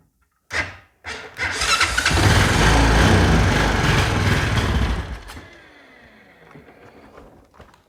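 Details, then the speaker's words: Honda Foreman ATV with a new starter relay, on a jumper box after suspected weak battery or bad starter: a couple of clicks, a brief crank, then it catches and revs hard before settling; cranks and runs. "well ah I don't want to burn that new uh starter relay up but as y'all heard it cranks and runs"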